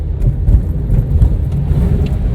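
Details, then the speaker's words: 2011 Kia Rio JB driven over a speed bump in cold weather: only low tyre and body thump, no squeak or creak, though the front suspension had been squeaking over bumps. "на первом ничего не слышу скрип а нету"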